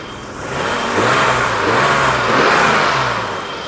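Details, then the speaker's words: 1990 BMW E34 535i, M30B35 inline six, rebuilt with a new head gasket, driving on the road after the final torque step at operating temperature: smooth, even engine note rising and easing with throttle, no knocks or ticks; it runs normally. "Check out that beauty. Sounds fantastic. Runs fantastic. She is alive again."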